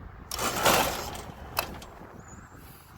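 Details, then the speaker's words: Heat pump outdoor unit blowing no cold air, with 240 V present: a harsh loud surge as the compressor kicks on, a sharp clack, then a quieter uneven run. The rough startup is suspected to be a bad capacitor; wiring is to be checked. "That didn't sound real good. I still got voltage. So before we go any further, we're gonna check the wires at that compressor. That sounded like a little rough startup."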